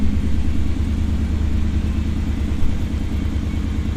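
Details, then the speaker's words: 1991 Pontiac Firebird Trans Am V8 after water pump and battery replacement following overheating: deep steady rumble with even pulse, no knocks or squeals, battery holding charge; normal idle. "You could hear it running in the background now."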